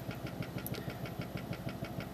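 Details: Brand-new computer power supply humming with a regular thump about six or seven times a second, vibrating; the cheap fan is blamed. Humming and vibration.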